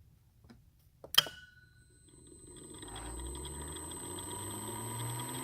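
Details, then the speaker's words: DVT smooth motor with integral brake and drive on a test bench, heard from the drive side: one sharp click as the brake releases, then the motor hum rises smoothly and holds steady; brake releasing normally. "here's a run listen for the click from the driver perspective"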